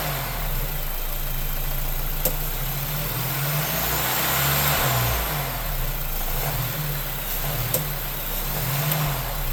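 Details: Brand-new 2024 Lincoln Corsair 2.0L EcoBoost I-4, under 300 miles, light acceleration/deceleration: rattling that swells and fades plus occasional sharp pops; owner suspects a variable intake manifold or actuator, cause unknown.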